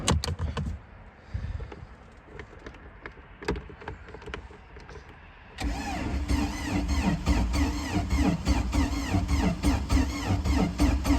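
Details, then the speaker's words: Free project boat engine started with an old Arctic Cat key after a possibly cracked freeze plug: quiet clicking, then it catches with an uneven, lumpy beat of about 200 pulses a minute, not firing on all cylinders; misfire, spark plugs not yet checked. "Sounds a little rough. See, does not sound like it's running on all cylinders. Doesn't sound good."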